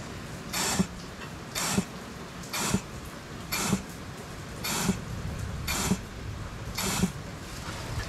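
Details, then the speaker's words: Ford 6R80 automatic transmission during rebuild, air-testing a clutch piston with compressor turned down to about 50 psi: regular short air bursts each ending in a clean click as the piston resets every time; earlier failure possibly from too much air pressure. "hear that it resets every time so i think we're good i may have just been using too much air pressure"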